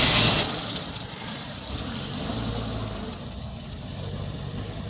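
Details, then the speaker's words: Del Rey CHT: smooth, even idle with a steady low hum and no chain rattle. The timing chain noise appears resolved. "É, parece que resolveu. Ó lá, de longe você ouvia barulho, o barulho da corrente de comando. Pronto, problema menos."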